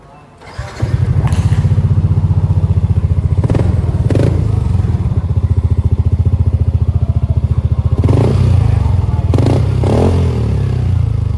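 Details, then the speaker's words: Yamaha NMAX 155 scooter, owner complaining of weak power, checked before a 63 mm bore-up: engine catches and settles into an even, steady idle with no knocks or rattles, sounding normal. "Dan langsung saja kita cek sound terlebih dahulu. Dan terdengar bahwasannya ini motor nggak ada yang aneh-aneh suaranya ya guys."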